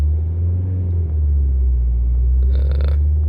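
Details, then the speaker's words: VW Golf TDI with worn OEM engine mounts, heard in the cabin at about 2,500 rpm held steady: a low, even diesel drone with no knocks and only slight vibration of loose items; normal running. "Water doesn't change much. Neither does this. It actually becomes more balanced."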